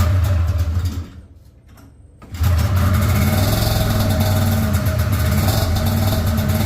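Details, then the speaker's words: Polaris RMK 700 snowmobile build: after a brief stumble it catches and runs ragged, with an irregular chuffing beat about four per second. It sounds like it is firing on only one cylinder, a suspected misfire. "though yeah sounds like it's only hitting on one cylinder"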